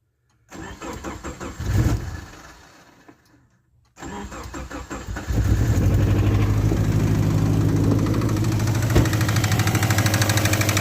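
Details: Subaru Forester engine cranking, firing and idling: steady, fairly regular tapping knock about three per second; engine knock.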